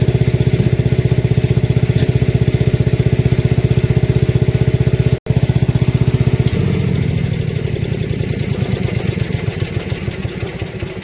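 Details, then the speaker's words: Lincoln Weldanpower AC/DC 225 engine-driven welder with high-frequency box, said to have sat about 8 years; previously backfired sometimes dropping to low idle, idle screws since adjusted. Even firing drops cleanly to a slower steady idle, no pops or backfires: normal return to low idle. "Idle's good now. It had a little, like, sometimes it would backfire when going to low idle, but I've adjusted the idle screws to seemingly perfect."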